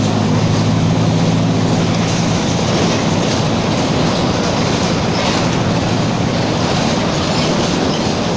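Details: Torino 2007 bus on an OF-1722M chassis, city line 314, recorded 2018 while driving; a low steady drone rumbles under road and tire noise; growling rear differential.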